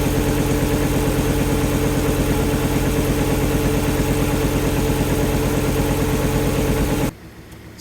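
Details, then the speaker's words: Fiat Coupe after restoration, belt just refitted and tensioned: even steady idle pulsing about three per second, no knocks, squeal or belt chirp, then switched off; battery charging, no warnings bar airbag light (unit missing). Normal idle. "first stage complete she's up she's running batter's charging we've got no warning lights on the dash"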